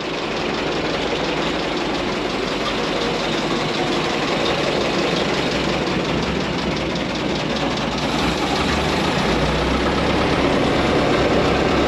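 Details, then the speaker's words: 1927 White dump truck started after 20 years idle: low, even idle with a steady chuff and no odd knocks or rattles; sounds like new, 28 psi oil pressure. "what do you think Grandpa sounds like new it sounds like new just turn right along huh"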